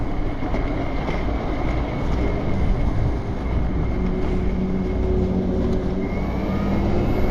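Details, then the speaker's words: BBSHD mid-drive e-bike on a Phaserunner V6 controller, riding under power: steady whirring drone with a rough chattering rasp, loud for a bike; rider blames the chain tensioner, which feels bad and sounds loud. "So everything feels pretty good, except for that chain tensioner does not feel good. And it sounds loud."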